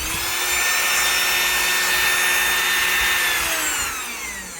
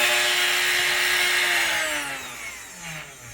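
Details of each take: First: 3018 CNC newly installed replacement brushed permanent-magnet spindle motor, rated faster than the worn original, running without a bit: high, steady whine with smooth brush hiss, winding down evenly at switch-off; normal spindle motor running. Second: Replacement brush-commutator spindle motor on a 3018 CNC, fitted because the original motor was worn and suspected of causing bit run-out, now with collet and bit installed: high-speed whine with a loud ringing resonance, pitch sliding down as it slows; resonating but faster.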